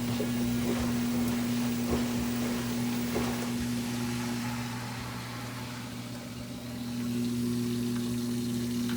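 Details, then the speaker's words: GE washer drain pump on its second drain cycle, drain hose attached correctly and not leaking: steady low hum with constant tone and watery gurgle, no grinding or rattle; water leaving, nothing clogged. Normal drain pump operation. "The water is leaving, the pump is working, nothing else is clogged."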